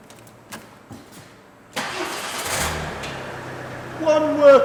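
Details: 2014 Ford Mondeo Mk4 2.0 diesel after replacing clutch and dual mass flywheel: starter catches quickly, even diesel idle, then brief clean rev; normal start and idle.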